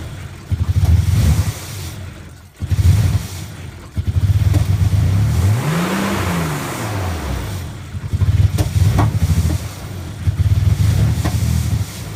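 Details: Nissan 300ZX after swapping Phase 1 injectors for Phase 2 injectors: rough idle hunting, revs flaring and sagging every couple of seconds, surging up to about 4000 rpm; cause suspected, not confirmed.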